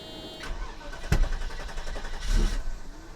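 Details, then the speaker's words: 1990 Mercedes 560SEC after new spark plugs fitted: cranks and catches with a sharp pop, then stumbles unevenly and backfires; misfire because two spark plug wires were swapped out of order. "Okay, the backfire and everything is because the ignition wires, the spark plug wires, were out of order."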